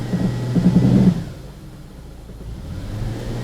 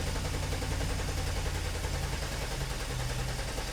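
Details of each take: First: 2006 Ford Escape under load in gear, fuel trims near zero: lumpy uneven pulse dropping to a quieter rumble; intermittent misfire that doesn't happen every time, likely a weak coil. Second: 2006 Ford Escape with a misfire, cranking in clear-flood mode for a relative compression test with a weak battery on a maintainer: steady, even cranking showing good, balanced compression on all cylinders.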